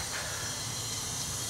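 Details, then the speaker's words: Chevy 250 inline six, homemade leak-down tester at about 30 psi with valves closed, engine not running: steady airy hiss of air bleeding past the piston rings into the crankcase; piston ring blow-by (intake valve on number one also leaking). "also got air bleeding down through the Rings"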